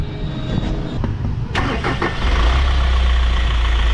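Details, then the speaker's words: Hyundai Grand Starex diesel started with the drive belt removed: cranks and settles into a steady, low rumble with no grinding; the noise is gone, so the fault is outside the engine, not the suspected timing chain. "an nawala o nawala nawala yung trending sound parang nawala nga oo"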